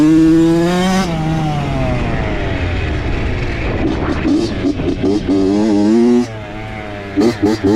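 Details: Honda CR80 two-stroke with a Keihin PWK 28 carb replacing the stock PE 28 after rich-running jetting problems. Sharp, clean throttle blips, no bogging or sputter. Owner says it runs good, possibly lean; the issue was the spark plug, not the carb.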